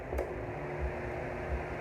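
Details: Arno pedestal fan on minimum speed after capacitor replacement, motor cleaning and shaft lubrication; soft steady hum and gentle airflow, previous noise gone, normal quiet running.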